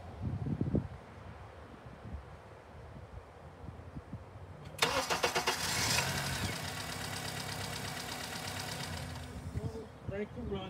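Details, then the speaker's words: Honda engine, baseline start with crank and cam sensors connected: brief quick crank, catches at once and settles into a steady, even idle with no misses or knocks; normal start. "i'm going to start the scoop and i'm just going to do a normal um crank to run and we'll kind of analyze it"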